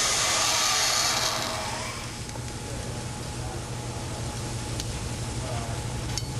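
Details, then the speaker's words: Control valve with a 70 to 80 psid pressure differential at a higher 200 psig inlet pressure: a steady, even rushing hiss of water with no crackling or popping. Normal flow, no cavitation. "we've again imposed a 70 to 80 psid pressure differential across the valve however at this higher inlet pressure of 200 psig cavitation does not occur"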